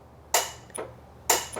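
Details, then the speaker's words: 1999-2000 Honda Civic with Hondata P28 ECU and junkyard AC kit, relay jumpered in a quiet bay: two crisp clicks about a second apart with soft echoes; AC compressor clutch engages normally. "And you hear that noise? That's the clutch activating the second one here."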